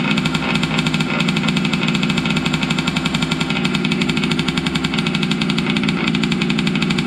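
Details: Losi 5T 2.0 gas two-stroke RC truck on VP fuel after about four to six months stored, choked, started on the workbench up on tires: a loud, rapid, even crackle held at steady speed with no stumbles; normal running.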